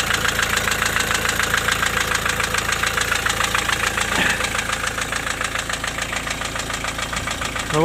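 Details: Diesel at idle after valve adjustment; the knock comes and goes, hot or cold. A steady hollow knock about twice a second rides over the clatter: piston slap.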